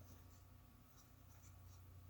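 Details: Toshiba V-S36C Hi-Fi Beta VCR (1983) playing a poor off-antenna tape: steady low hum with dry scratching hiss; owner hopes it's not the rotary transformer, cause not pinned down.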